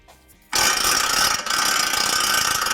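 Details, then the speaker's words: Ford F150 4WD IWE vacuum hub actuator, hub spun by hand: harsh, continuous rasping chatter from partial engagement when vacuum is insufficient. Actuator leaks lose vacuum, which is worse in cold weather; fix is actuator replacement. "what you're actually hearing when you end up with that noise is when you don't have a full supply of vacuum on it"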